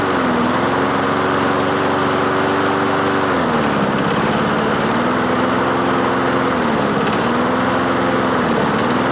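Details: Craftsman mower with swapped-in Honda engine after carburetor cleaning, choke engaged at start: note sags and recovers every few seconds, hunting instead of holding steady; better but still not running right.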